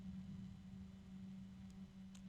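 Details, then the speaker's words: Noiseblocker case fan at full speed with a steady low hum, quieter than the other fan, though faint bearing ticking and a low-pitched tone are audible. "much quieter than the other noise blocker starting to pick up a little bit noise"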